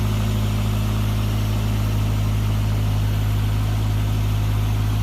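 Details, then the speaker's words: Toyota AE92 with 20-valve Blacktop engine, cold, after fitting the original 16-valve pump to fix a tick: low steady idle rumble, smooth and even, no tick or tapping; idling normally. "This is a cold engine at the moment. Yep, no tick. Awesome."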